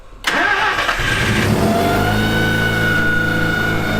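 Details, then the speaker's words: 1974 Mazda rotary pickup after RX7 5-speed swap, new clutch, flywheel, intake manifold and Holley carb; loose intake hard-line fitting (possible vacuum leak) fixed; rough idle with steady high-pitched whine, suspected failing alternator front bearing; carb still needs tuning. "like the front bearing of that alternator is not happy"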